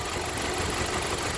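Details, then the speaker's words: 2015 Jeep Patriot 2.4L with light misfire felt at idle: steady idle with a faint rhythmic pop puffing back through the air box, compression escaping from a leaking intake valve, confirmed with compression tester. "I can hear just a real faint pop coming through this air box"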